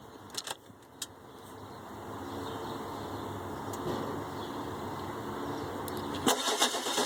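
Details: 2003 Ford E350 7.3 turbo diesel: after a few key clicks the starter spins the engine at an even pace for several seconds, but it never fires; crank, no start.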